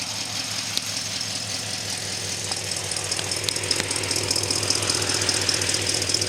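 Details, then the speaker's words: 1964 Studebaker Daytona V8 just restarted after 25 years, timing slightly late, single exhaust with old Thrush muffler, light smoke from Marvel Mystery Oil in cylinders: even idle loping two to three beats a second, no misses. "Sounds pretty good. It's only a single exhaust, has a old thrush muffler on it, so hopefully that'll clear up."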